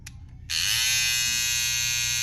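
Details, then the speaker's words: Babyliss FX3 cordless trimmer after its original blade was swapped for a graphite FX707B blade, fixing a loud noise: steady, even high-pitched buzz, noticeably quieter, normal running. "It's a Fx3T, but it fits right on there. Way quieter."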